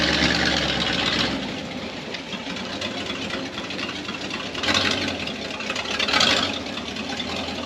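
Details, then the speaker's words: 1978 Chevy K10 4x4 project truck V8, known to run horribly, started for a drive: the engine stumbles and surges unevenly through start and idle with no steady beat; rough running. "I mean we know it runs horrible we've done this before but why not let's do that"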